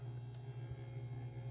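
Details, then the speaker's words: Faint, steady mains-type buzzing hum caused by a live wire touching grounded metal. The sound goes away when the wire is kept off the metal. The buzz goes in concert with the lighting; the stock potentiometer is suspected. "sound goes in concert with the the lighting that's on here but if I make sure that that's not hooked up to that metal piece of metal there that's also grounded the sound goes away"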